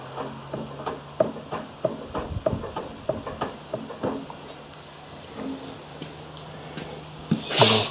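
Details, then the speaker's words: Yard-sale Coleman generator taken apart: loose, uneven clunks as the rotor is rocked by hand, the top bearing is shot with a lot of play, letting the rotor pull over against the magnets. "you can see there is a lot of play there matter of fact you can hear it clunking"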